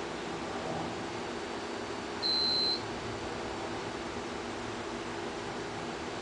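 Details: Generator transfer switch test where the generator engine failed to run, so power did not transfer: UPS units give a high-pitched half-second beep every few seconds over room fan hum; on battery backup, fault.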